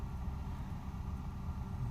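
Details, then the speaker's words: 1994 Hyundai Lantra at idle, on both petrol and LPG: low rumble rising and sagging unevenly, hunting unstable idle while driving and pull are fine; cause unknown. "böyle bir sayma oluyor ileri geri düşme oluyor gaz verelim çekişinde gidişinde bir sorun yok ama böyle bir dengesizlik yapıyor"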